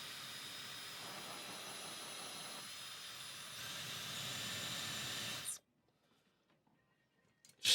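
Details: Dyson Supersonic HD03 hairdryer: a steady, high, airy hiss that strains and shifts, then cuts off as it shuts down with flashing lights and a horrible smell. Filter is clean; the fan is labouring, and a long hair was later found inside.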